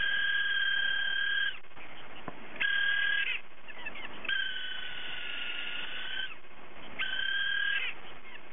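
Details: Hard drive whose spindle motor bearing has failed so it no longer spins properly: repeated high meowing squeal bursts like a cat, each about a second with short gaps; spindle bearing failure.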